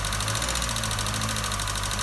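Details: Nissan Note/Tiida 1.4 CR14DE petrol engine running with a fast, even metallic ticking over its hum: valve tappet knock from exhaust valve clearances too large, fixed by fitting thicker tappets.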